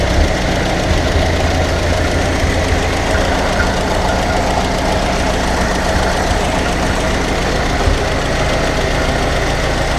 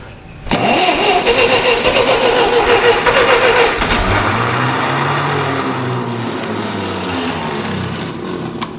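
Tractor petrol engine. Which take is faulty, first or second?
second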